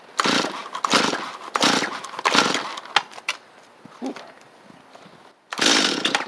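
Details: Stihl 250 chainsaw obtained free after sitting, good compression: sharp two-stroke bursts as the throttle is blipped, revving cleanly and dropping back. Starts and runs fine.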